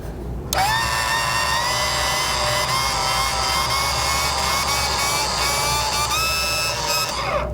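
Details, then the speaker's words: 2023 Mazda CX-5 driver-side parking brake actuator, bench-tested after it stopped working: the small geared motor whines and crackles for about seven seconds, too long a run; the actuator is judged internally faulty and will be replaced and reset. "You can hear it crackling. So, this this actuator obviously it's got a problem inside of it."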